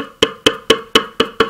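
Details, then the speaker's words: HDC3 12-inch subwoofer needing a recone: cone separated from the spider, which doesn't move, and the 3-inch voice coil rubs inside the motor, giving six sharp, dry clicks about four a second as the cone moves. "what that clicking noise is is see this coil it's rubbing the inside part of that motor"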